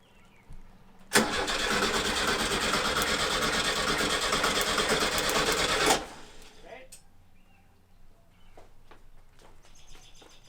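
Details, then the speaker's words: 1970 VW Bus with brand-new engine just installed: about five seconds of steady, even starter cranking without firing, done to build oil pressure until the oil light goes out; normal cranking. "all right so i'm gonna keep going there's an oil light out here or up here and i'm gonna go until the light goes out so i know we have oil"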